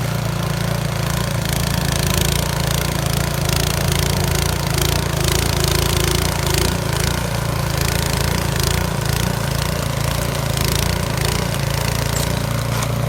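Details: Yard Machines 22-inch snow blower after carburetor cleaning (gas left in it at least two years), choke off at full throttle on test run: strong, even drone with steady quick firing beat, no stumbling or surging; normal running.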